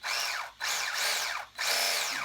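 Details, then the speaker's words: RC Sweet Tooth truck after fitting new motor and replacement gear set (old gears didn't fit), motor wires swapped; short bursts of high motor whine rising and falling with throttle, no longer the crack noise of gears rubbing and grinding; normal gear mesh. "it doesn't make that crack noise it's not it's not rubbing up against the other gear and grinding gears it's not great doing that"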